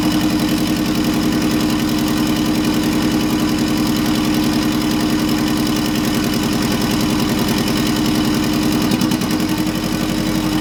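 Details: Subaru EJ205 in Honda CRX swap, first startup on stockish setup; loud idle with uneven lumpy beat, no clear dropouts, not a misfire; owner unsure if timing, fueling or base-map tuning; rough idle.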